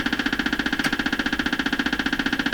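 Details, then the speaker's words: Stewart Warner R514 tube radio under restoration, no reception: buzzy pulsing interference about eleven beats a second over the hiss, from some unidentified electrical source in the shop; cutting power to the suspected device did not stop it. "making that kind of noise there's something in my shop making this radio noise"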